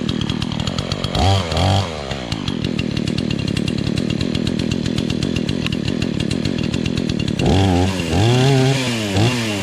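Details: Remington Outlaw 20-inch two-stroke chainsaw, first start in a year on old gas after choking: crisp clean revs up and down with a steady, even idle between bursts. It runs healthy.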